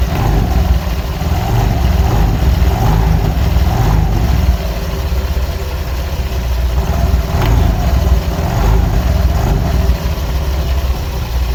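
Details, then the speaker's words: Honda Vario 125 LED scooter, tested before teardown: steady low drone with faint, evenly spaced rattly pulses; rough CVT noise caused by stiff roller housing cover not flexing to follow rollers up and down. "Ternyata permasalahannya ada di tutup rumah lolernya guys ya. Oh, ininya keras, jadi dia nggak mau apa namanya ya, fleksi, nggak ngikutin ketika lolernya posisi di atas atau posisi di bawah."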